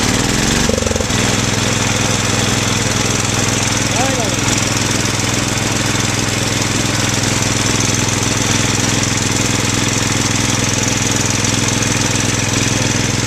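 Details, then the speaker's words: Bolens 1250 garden tractor, original Wisconsin S12D single-cylinder engine with Eaton hydro and a makeshift muffler. It catches after a brief crank into a steady, even single-cylinder beat without surging or knock: normal running. "the hydro is super quiet I have never had such a quiet hydro before"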